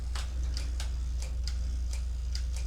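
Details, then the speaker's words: Mamiya 645 medium format camera after the 15th shot: the film advance crank spins freely with light, crisp clicks about three a second because the roll has ended and is fully wound onto the take-up spool, ready to unload. "and as you can hear it's clicking through because the film the spool ended so at that point you know that your film is all rolled up and ready to take out"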